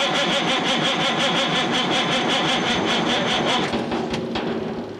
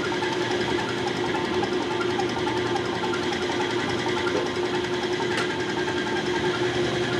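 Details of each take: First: 1987 Kenworth K100 CAT 3406B diesel, unrun about 25 years: cranks about three compressions a second without catching; almost no fuel from injection pump, shutoff solenoid clicks but rack appears stuck. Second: CAT 3406B injection pump from a 1987 Kenworth K100, driven on a test bench: fast, even mechanical whir at one pitch without skips or knocks; all outputs matching, running smooth and normal.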